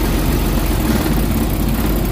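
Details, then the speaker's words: Suzuki Big Eye DA64/DA52W engine at idle with the AC on: deep, uneven, lumpy rumble, hiccuping and losing power, nearly shutting off. "Ayan oh, nuburo-buro na siya. Ayan oh. Wala na siyang power na maganda. So nagsisinok-sinok sinisinok guys yung kanyang ah mechanism."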